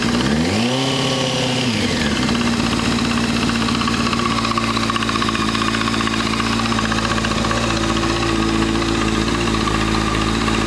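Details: Honda CBR600 F4i motorcycle, after a quick rev, settling to idle with a fast light ticking noise that persists even after a new OEM cam chain tensioner was fitted.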